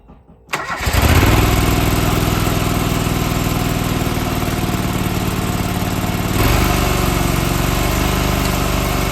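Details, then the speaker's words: John Deere 425 garden tractor, sat for years, new starter, restarted: catches after a short crank and runs lumpy and surging, then sputters and smokes, smelling of oil; cause not confirmed, still needs work. "oh it definitely needs a lot of work but it's getting closer so the end there it started sputtering and smoking almost smells like oil"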